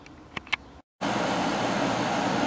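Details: 1995 Starcraft popup camper, GE portable 3-in-1 AC/fan/dehumidifier bought after the original AC trouble was traced to a bad breaker switch: after a short dropout settles into a steady, even airy rush, no rattles or cycling; healthy.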